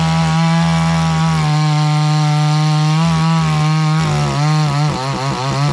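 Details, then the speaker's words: Cheap $129 62cc Garwinner Chinese chainsaw, compared against a Husqvarna 460 Rancher, cutting wood: it buzzes hard but revs sit flat and never climb to a crisp top scream. It won't open up fully; owner plans to tweak it after more run time. "As you can hear, the saw isn't quite opening all the way up. So when I go back to sharpen the chain, I just want to get a little time on it."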